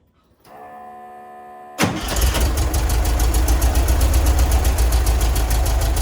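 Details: 1966 VW Split Bus with dual carburetors, just drilled to 60 mid-range jets: engine catches after short crank into a lumpy low rumble, still slight hesitation on acceleration; accelerator pump to be adjusted, possibly 70 jets next.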